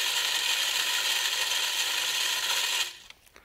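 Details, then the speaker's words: DIY-repaired deer game feeder on a timer, spin cycle throwing corn; steady high whir and rattle for about three seconds, then a clean stop; worked perfectly, though the timer is suspected of being quirky. "a lot of corn that worked it worked perfectly"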